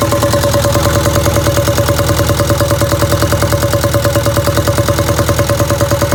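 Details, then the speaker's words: 1962 Land Rover Series 2A 2.25L diesel, after timing set: sharp regular top-end clatter about three times a second over the idle, from rocker adjusters left completely loose after exhaust-peak checking, excessive valve clearance. "whenever i adjusted the valves whenever i was checking the exhaust peak i was checking that i had the rocker arm the the adjuster completely loose or i had it yeah completely loose so that i could get as much movement out of that"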